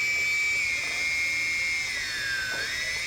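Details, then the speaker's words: DJI Phantom 2 drone after ECU replacement fixing a motor locking up: smooth steady high-pitched whir from all motors, dipping briefly with throttle and recovering evenly without stutter; motors running healthy. "the problem that we had earlier with the with the motor locking up is no longer the issue you can see everything spins properly now"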